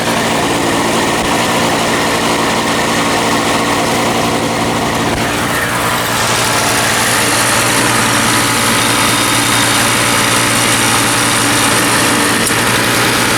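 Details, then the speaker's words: Toro CCR 3000 GTS snow blower after replacing wrong carburetor with correct one and setting governor, tachometer attached: steady even two-stroke drone settling cleanly around 3,500 rpm with no hunting or misses; running as it should. "So now it works exactly as it should, and I get a good about 3,500 RPM, which is right where I want it."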